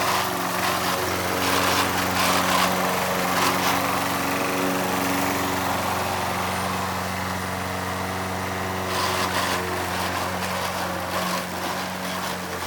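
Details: Old Toro Recycler mower with bad transmission, mowing: steady single-cylinder drone with rough gritty grinding layered over it; worn drive transmission.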